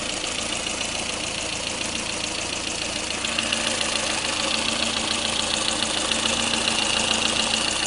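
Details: Lada Kalina engine at steady idle: light, regular metallic ticking about two per second riding over the engine; engine knock, cause unknown.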